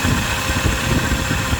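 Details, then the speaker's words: Overheating vehicle whose cooling system held only water: just after start-up, engine idling as it warms, with a strong steady rush of air from the cooling fan, which works fine. Overheating was later traced to a clogged radiator and bad cap. "Okay, it's running. The fan looks pretty good. It's blowing good. Okay, so the fan is working perfect."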